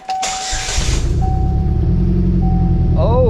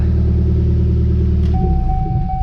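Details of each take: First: Pontiac Solstice at idle with ignition coil swapped, still running rough: uneven stumbling beat three to four pulses a second, likely misfire; owner suspects a wiring issue, cause unclear. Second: Pontiac Solstice after ignition coil and connector work, where the fault may have been dirt in a connector: engine catches and settles into a steady even low idle with no stumble or miss; normal idle.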